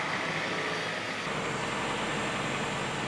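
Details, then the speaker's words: Honda Prelude (3rd generation), engine at idle after coolant passages unblocked, heater on full, warming up to temperature: steady, even warm-up idle without surging, loud blower hiss; best it has idled on its own so far, though bouncing idle later returned. "uh we're going to let this thing warm up up completely to temperature but this is so far the best it's idled on its own so"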